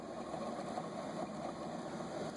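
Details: 2006 Dodge Ram 1500 5.7L V8 during water pump replacement, pulley spun by hand: rough, gritty rumble instead of smooth free-wheel; alternator bearing worn out.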